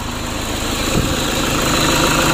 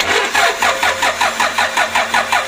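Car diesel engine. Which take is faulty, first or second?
second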